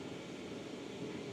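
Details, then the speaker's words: Hcalory Toolbox 2S Plus portable diesel heater set to 10, its hottest setting, blowing warm air. Steady loud whooshing fan roar with an even, unchanging pitch; normal running at full power. "Now obviously I've got it on 10, the hottest I can have it on, which is why it's so noisy at the minute."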